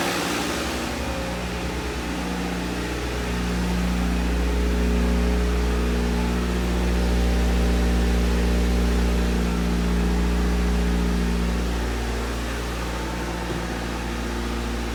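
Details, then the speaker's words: 1990 Honda CRX Si (EF7, JDM) four-cylinder after fresh oil, new spark plugs, cleaned fuel tank and new filter: steady, even low hum, smooth firing, no knocks or misses; normal engine running. "i mean it still sounds great when you start it it's had fresh oil fresh spark plugs"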